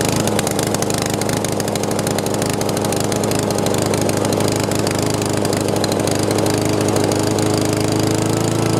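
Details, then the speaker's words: Honda GCV160 lawn mower after carburetor cleaning and oil change (was overfilled, oil clogging carburetor and air filter), now warmed up: steady, even single-cylinder putter at constant speed with no surging or stumbling; normal running. "awesome sounds like it's starting to run smooth had to get it uh get it warmed up and uh get the fuel flowing"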